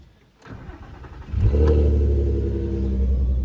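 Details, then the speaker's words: VW Golf R32 Mk5 VR6 Edition 30, first cold start of the morning: short crank, catches and settles to high cold idle with faint steady vacuum-cleaner-like whir; whirr gone on restart, source unknown. "But yeah, cold start time. I've noticed this makes a whirring noise on the first start up in the morning."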